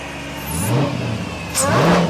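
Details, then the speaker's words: Retired Dodge police car, 5.7L V8 AWD with Hellcat supercharger, first running with no tune: two quick clean throttle blips, note climbing smoothly and falling back evenly; revs freely and sounds healthy. "It runs pretty good with no tune though. What's that? It runs fairly good with no tune though. Yeah, it really does."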